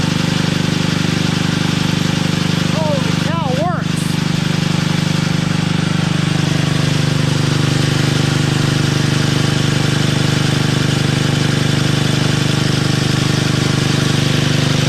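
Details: Toro 58-inch professional 3-gang reel riding mower after unseizing the blade PTO and repairs, first test: engine holds a smooth even drone and the reels spin with no knocks, scrapes or hesitation; running healthy.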